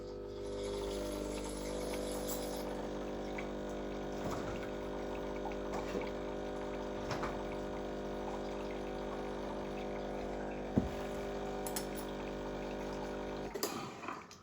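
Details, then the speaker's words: Used Breville Barista Express BES870, blank double shot through portafilter and basket to warm components: an even pump buzz for about thirteen seconds with water trickling, then a clean cutoff. Normal pump flush. "This also sort of acts like a flush cycle."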